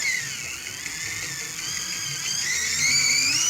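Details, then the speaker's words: Mini auto-reverse cassette player, tape playing too fast: thin, chipmunk-high pitch racing above normal; the motor speed preset isn't working, and turning the motor adjustment should correct the speed. "फल speed हो गया फिर मैं इसकी आवाज को कम कर दिया ये मोटर में फोल्ड है य मोटर का जो प्रीसेट है काम नहीं कर रहा इसको मोटर को अगर क्ल माप में घुमा सकूंगा तो इसकी आवाज सही होगी"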